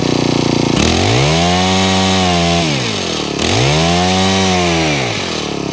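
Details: Honda HHH25 4-stroke hedge trimmer after carburettor tuning and a new fuel filter: revs up and drops back twice, with the tone climbing and settling smoothly each time. It now holds and returns to idle cleanly, so the bogging is fixed.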